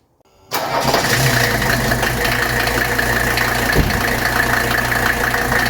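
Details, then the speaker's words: 1982 Mercedes 300D diesel, 61,000 miles, after filter change and new hand primer, primed instead of bled: fires almost immediately and holds a steady, even idle clatter with no stumbling; starts and runs healthy. "and there you go guys that's how you do it so you don't have to bleed air out of the system"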